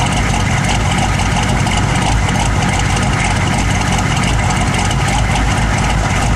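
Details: Loud, heavy idle with an uneven pulsing lope rather than a smooth beat; engine idling rough, cause not clear.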